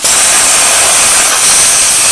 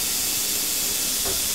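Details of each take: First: Plasma cutter torch cutting out: a steady, harsh cutting hiss dies after about three and a half seconds with the trigger still held, restarting only when the torch is knocked; the torch trigger switch is the usual fault, fixable by fitting a TIG switch. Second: Low-voltage plasma cutter with the torch switch plug pulled and its two prongs shorted by a screwdriver: strong, even air hiss holds steady without cutting out. Fault narrowed to the switch or its wiring; normal air flow.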